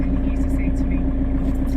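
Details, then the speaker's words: Motorhome van started after sitting unused over a week with a newly installed AGM starter battery and the habitation unit disconnected: an even, steady diesel idle with no knocks or misses. It starts and runs much better than before. "I think that sounds so much better than the than previous the previous than previous times put it that way so that's really good I'm really pleased about that"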